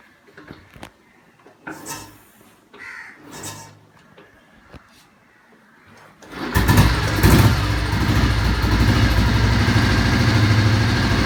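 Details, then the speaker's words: Recently restored 1981/1982 Royal Enfield Bullet 350 cast-iron engine, cold start with choke and decompressor, a few kicks: catches around six seconds into a fast even thump, idle high on choke then returning to normal; normal cold start. "Choke போட்டதுனால ஒரு தடவை idling ரொம்ப ஜாஸ்தியாகும். Idling ஜாஸ்தி ஆகிட்டு அதுவே மறுபடியும் நார்மலாக வரும்."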